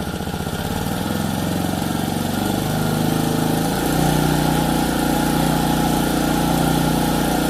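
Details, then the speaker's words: Lawn edger small single-cylinder engine, a no-start, after carburetor service, on bench: quick, even putter settling to a higher steady speed after a few seconds; runs cleanly, likely dirt in the carburetor had prevented running. "So, it runs nicely. And um there's probably a piece of dirt inside the inside the car body itself that prevented it from running."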